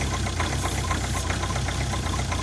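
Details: Ford Focus diesel at 2°C, cold, vacuum pipe off with engine running; uneven pulsing lumpy idle and weak audible suction from the original vacuum pump, suspected failing; engine has had injector problems.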